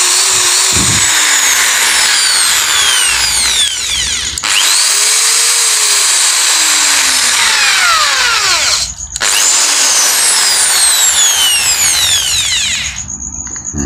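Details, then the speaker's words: Makita drill that had growled, lost power, slowed and overheated, after replacing burnt brush springs worn from overuse: smooth high-pitched whir winding up and down evenly with trigger, no growl or stutter, running normally again. "Kita coba colokkan listrik. [Musik] Sudah normal kembali. sudah."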